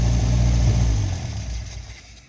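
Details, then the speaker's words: 1952 Singer 4AD Roadster on its first start after sitting, chokes suspected stuck on: deep low burble holds briefly then sags and fades as it is shut off; runs evenly with no knocks or misses. "I think the chokes are stuck on. Oh yeah. That's pretty good."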